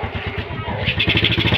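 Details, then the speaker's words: Suzuki Rider J110 single-cylinder motorcycle, first start after engine overhaul: slow, lumpy putter barely able to keep running after the idle was turned down; now set too low, needs fine adjustment. "Baba naman ng sobra."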